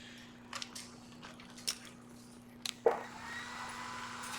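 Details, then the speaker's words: Noco G15000 jump starter/charger under repair (no power, no charge), connected to a battery at 9.8 V and detecting it: faint steady hum with handling clicks, then a soft even cooling-fan whoosh kicks in and holds; fan running normally. "You hear the fan is kicked on cuz it's detecting something."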